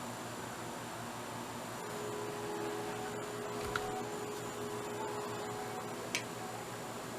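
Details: Thrift-store Sylvania DVD/VHS combo loading a DVD: faint quick ticks and small pops over a quiet motor hum, laser hunting for focus; DVD doesn't sound too healthy.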